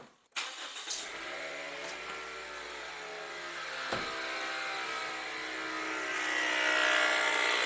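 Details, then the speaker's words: Toyota with 3R engine, microphone placed near engine just after start-up: steady loud high whine over idle growing slightly louder, pointing to a known alternator problem on this model. "eu vou mostrar para vocês agora o barulho Como que é o barulho de tão alto que é eu vou dar partida agora só para vocês perceberem"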